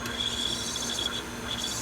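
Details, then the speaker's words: Sony VO5800 U-matic VTR fast-forwarding an Ampex tape: thin, wavering high-pitched squeal over raspy hiss as the tape drags on the head, sticky shed syndrome. "You can hear the tape squealing. Sticky shed syndrome."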